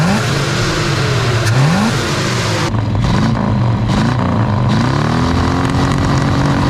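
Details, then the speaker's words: 1978 Chevy Nova junkyard car, carbureted V8, idle screws tweaked and the return spring moved for more tension: the snap to wide open revs up sharply and returns quickly and evenly to a steady idle. "i've also just tweaked the idle screws got that island nice and i swung this spring over to here that way get a little bit more spring tension on it but let's try to snap wide open oh yeah"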